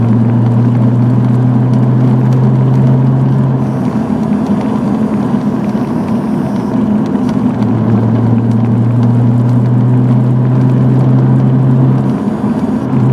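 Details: Nissan 300ZX at idle: a low, steady buzz rides over the engine, cutting out for a few seconds and returning; source unclear.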